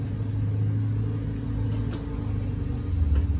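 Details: 2018 Cardinal 3825FL trailer, sofa slide-out extended from the control panel: even, low motor drone holding steady start to finish with no knocks or grinding; slide-out motor running normally.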